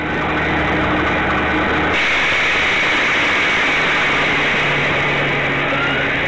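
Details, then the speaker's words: Truck air brake system, 5-ton truck climbing a hill in the morning under load, recorded by the bed camera: the engine pulls hard, then a fragile plastic air line bursts into a sudden steady rushing hiss; driver lifts off the throttle fearing rear wheel lockup. "Now you can hear me get right off the skinny pedal as soon as that line blew."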